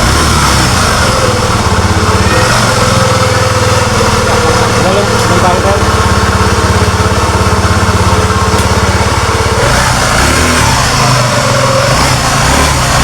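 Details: Honda Beat FI scooter after new clutch lining fixed the juddering; engine noise left unrepaired: small engine revving with rough, uneven rumble and about three-per-second beat underneath; worn crankshaft bearing.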